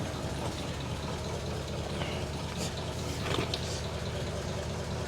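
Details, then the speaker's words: 1947 Ford at idle after a transmission rebuild, and after no-spark was fixed by sanding the distributor points: even, steady low idle with light clatter on top, no misses; normal idle. "But it starts now. So let's start it and test this transmission."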